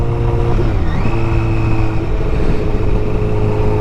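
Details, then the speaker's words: 2008 Honda CBR1000RR, 53,000 miles, ridden about 10 miles after fixing a melted harness plug: strong clean pull under load with crisp pitch drops at each quick-shifter upshift, no knocks or rattles; engine sounds healthy. "engine sounds healthy everything about this is just like a very good experience with this bike"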